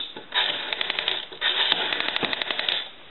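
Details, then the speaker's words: Western Electric 202 rotary telephone dial after repair (oiled, cleaned, adjusted) spins back with a quick, even run of sharp clicks, returning smoothly as it should; normal rotary dial return. "So anyway, now the uh rotary is racking off like it's supposed to and that's been taken care of."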